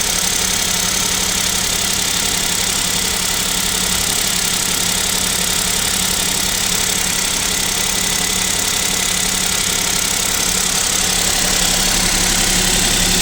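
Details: KIA Picanto 2, 1.0 G3LA engine, cold start at about -7°C; steady tapping about three per second over the engine hum at idle; owner suspects piston knock and wonders if an overhaul is near, not confirmed.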